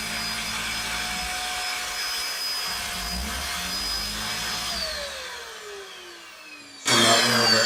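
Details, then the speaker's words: Shark DuoClean vacuum, board swapped from another unit: steady high motor whine winds down to near silence then a clatter when switching off the higher setting; motor cuts out on low, owner suspects corrupted processor programming. "If I try and turn off the higher set it just cuts out."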